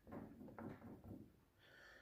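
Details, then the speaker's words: Peugeot 206 right-side forged control arm, off the car: worn ball joint rocked by hand gives three dull clunks about half a second apart, then a brief squeak; it knocked loudly on any bump; bushings intact. "Это у нас рычаг правая сторона Peugeot 206 тут застучала шаровая и сдавала очень сильные громкие звуки на любых неровностях Вы наверное их слышите"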